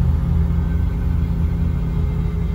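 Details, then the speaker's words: 1986 Nissan 300ZX 3.0, no-start case, with a ground applied to the fuel pump resistor wire: steady, even low rumble with no misses while revved and released; missing fuel pump ground signal identified as the problem. "suéltale acelérale ven Ya está trabajando bien entonces lo que le está haciendo falta aquí es la señal de tierra"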